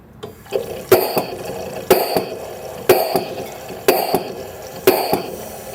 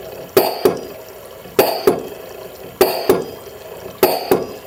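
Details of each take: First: LM10 microfluidizer with air feed deliberately throttled to simulate low supply pressure, triggering the yellow low-pressure warning light; hissing air strokes roughly once a second, each with a sharp exhaust burst. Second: LM10 microfluidizer plunger pump running normally with maintenance-reminder function active: paired hissing clunks repeat about every 1.2 seconds in a steady, even cycle.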